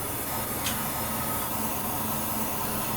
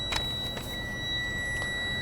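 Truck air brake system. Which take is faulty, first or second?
first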